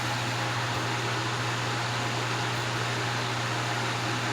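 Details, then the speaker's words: Vintage Wizard hassock fan with salvaged box-fan motor replacing burnt original, on high speed after transplant: smooth steady airflow and low even hum, good breeze, very quiet, no rattles or wobble; normal operation. "Okay, it's putting out a really good breeze. It's very quiet."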